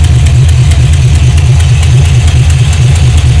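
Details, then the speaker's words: 1978 Chevrolet Malibu build at idle: deep idle with a sharp puffing tick on every firing pulse from one side; exhaust leaking at the header flange, black residue visible. "so when the car is running you hear it bad bad bad bad bad from this side and yeah that's because of the exhaust leak"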